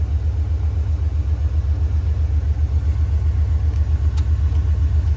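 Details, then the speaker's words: 1994 Chevy 3500 fire truck, 7.4 L V8, 27,000 miles, good oil pressure: low lopey idle about four beats a second, misfire-like; said to need a piston, but owner suspects a valve problem, compression test planned. "sounds like it's got maybe a valve problem and if I have to change the head I'm going to change the head"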